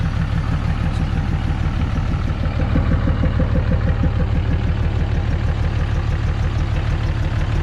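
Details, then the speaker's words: 2006 Dodge Mega Cab 5.9 Cummins diesel at idle: even puffing pop about three times a second coming back through the intake; owner suspects a bent or burnt valve, not confirmed; still runs and pulls well. "so we'll rip this apart and as you can hear it's kind of popping through the intake i mean i probably shouldn't drive it but i do drive it around a bit"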